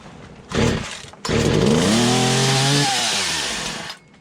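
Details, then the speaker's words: Poulan 2150 chainsaw, first start after fitting a new cylinder and piston, primed on full choke: brief pull, then it fires and revs unevenly up and down before dying; carburetor needs adjustment. "sounds like we're going to have to make some adjustments on that carburetor but it's nice to hear it pull over"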